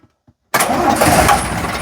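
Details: Routemaster bus RM1009, original AEC diesel engine started by toggle: after quiet, it fires instantly and settles into a firm, even idle without stumbling. A healthy start that sounds very different from a Cummins engine.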